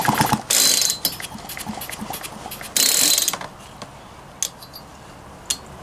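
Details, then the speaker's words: Poulan Pro 222 38cc chainsaw that won't start, with good compression but no spark: two rasping pulls on the starter cord, each about a second, with a scraping drag through the recoil; something dragging inside, cause not evident. "And it sounds like something is dragging down in there."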